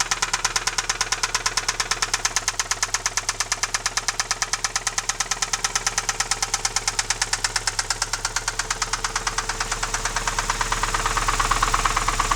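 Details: Alfa Romeo 156 engine, loud ringing knock that began at 120 km/h in 5th gear on the highway, restarted in the garage after towing: sharp metallic knock about three times a second; cause unknown, owner doubts cam phaser; camera mic understates loudness.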